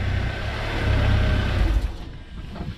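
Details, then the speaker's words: Car after loose catalytic converter flange refastened with bolts: low, even exhaust note with no puffing or ticking from the joint as it drives off, much quieter; exhaust sealed and normal. "all right once you start the car up and see what it sounds like a lot quieter okay"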